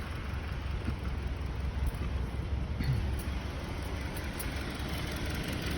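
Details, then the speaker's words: 2020 Hyundai Sonata with check engine light on, idling at steady rpm and shaking. Deep, uneven rumble with irregular thumps. Scanner shows P0302 cylinder 2 misfire and system 2 lean off idle. "السيارة فيها لمبة التشيك انجن شغال، والمحرك بضل بيهتز، فيها مسفير، الار بي ام هنا ثابت زي ما شايفين."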